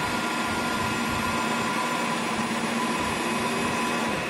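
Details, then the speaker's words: Chevrolet Cobalt started in neutral with parking brake on: steady high electric whir over idle; secondary air pump, commanded by the computer for under ten seconds after start, injecting air to the catalyst for emissions, working normally. "yo creo que está este accionamiento es todo lo que hace la bomba inyectar aire al sistema del catalizador para reducir las emisiones cuando se echa a andar el vehículo"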